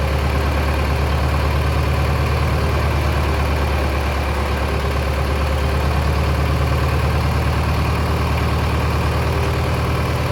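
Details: Mid-1960s John Deere 3020 diesel tractor, about 477 hours, just restarted after sitting 5 years: steady low evenly pulsing idle, no knocks, misses or surging; normal idle.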